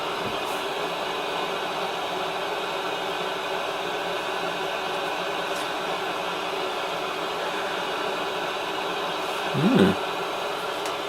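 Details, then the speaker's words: 1970s Bush VTR178 multiband radio, reported dead on mains, on variable supply at 130–140 V, current draw not registering: steady even hiss with faint tuning tones, no hum, crackle or dropouts; works on mains. "so we're up to 90 volts nothing yeah no current draw oh I can hear the radio coming to life 130 volts 140"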